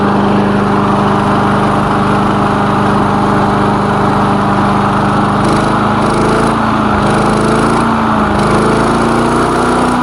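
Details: Lawn mower engine after repair, oil recently changed, initial test run with the elevator off; smooth steady drone, no stumbling or odd noises; running fine, normal.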